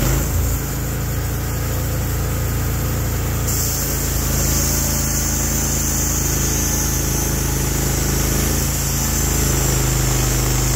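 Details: Norwood HD36v2 bandsaw mill, day two testing new roller guides that replaced the ceramic guides, slabbing big black oak through bark at about 24 in wide: a deep, even engine drone holds steady without surging or bogging; the mill is loaded normally and cutting cleanly.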